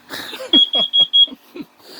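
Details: RV interior while cooking rice during off-grid power testing: four quick high-pitched beeps then a pause in a quiet room, carbon monoxide detector alarming at high CO level; carbon monoxide alarm.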